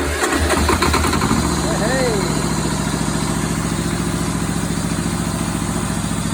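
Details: Perkins two-cylinder diesel in a Power Pony, first start after months parked and bleeding the fuel system at the injector pump with a new bleed banjo bolt, glow plugs used: short crank, catches, steady even idle about 3.5 beats/s, running clean.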